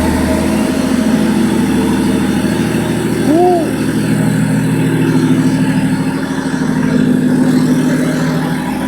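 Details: BMW M57 bi-turbo diesel swapped into a Nissan Patrol with 6HP28 automatic, first start with temporary fuel pump hookup and no exhaust fitted: loud, raw, unmuffled diesel idle with a steady even chug; engine sounds healthy.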